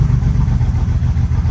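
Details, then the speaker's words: Old Toyota engine at idle after new starter, hard to start: deep, lumpy, stumbling idle, misfiring on cylinders 5 and 6; later a piece of plastic was found in cylinder 6, and after removing it the misfires were gone. "Yeah, the engine ran horrible. In fact, it had a misfire on cylinder 6 and 5."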